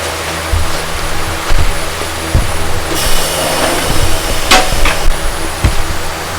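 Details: Kia All New Carnival: a low, steady droning hum from the rear while driving, caused by cupped, step-worn rear tires; this is easily mistaken for bearing noise.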